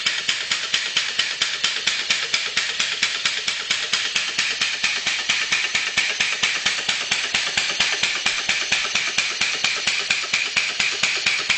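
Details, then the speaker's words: Two-cylinder former Sears air compressor with 2.5-inch stroke, converted to a steam engine with a homemade cylinder head and flywheel-driven actuator valve system: crisp, even chuffing about two per second, steady with no stumbles; running normally. "I threw away the old head and I made another head for it and have a valve in it system, and that valve system is pushed by the actuator, and the actuator pushed by the compressor flywheel like that."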